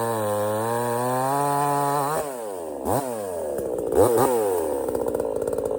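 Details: $97 Temu Chinese gas chainsaw cutting a partly rotted but substantial stump: high rev drops and wavers as the chain bites, then recovers; pulls cleanly, a couple of stops, healthy.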